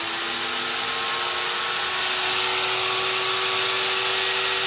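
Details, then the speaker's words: Hitachi/Metabo HPT M12VC router with its speed controller bypassed, set to variable speed and turned down: steady, even high whine at low speed with no stutter or rattle; starts and runs normally. "So now I've got it set to variable speed. I've got the speed turned down on here. I'll turn on my spindle. And you can see it fires"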